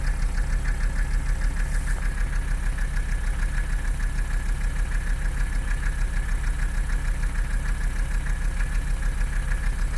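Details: Mercedes 300CD diesel at idle: even clatter with a steady thump a little over once a second and a lumpy, rough beat; engine noise and rough idle, cause undiagnosed.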